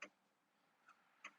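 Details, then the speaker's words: 1994 Nissan 300ZX during parasitic drain diagnosis: three crisp light clicks about half a second apart as the door jamb switch is pressed and released, kick panel light going dark and lit each time. Normal door jamb switch operation. "I'm doing pushing the door switch so dark light dark light dark light and the switch is clicking here too I don't know if you can hear it but it's clicking down there"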